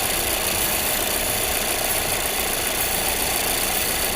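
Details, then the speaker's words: 2019 Volvo XC60 with codes incl. P0455 gross EVAP leak, P0172 rich and P0507 high idle: constant hissing suction over a rough idle with the line off; purge valve leaking vacuum while not commanded. "I'm gonna pop this off. I don't know if you guys can hear that. We got a leaking purge"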